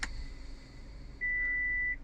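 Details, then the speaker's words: 2018 Suzuki Vitara 1.6 SZ5 automatic ALLGRIP, 8,336 miles, in reverse: one clean, steady high beep under a second in a quiet cabin; the reverse parking sensor chimes normally. "you can hear that beeping, that is a reverse camera, but you will see here in the center display you got parking sensors on a little on-screen display there."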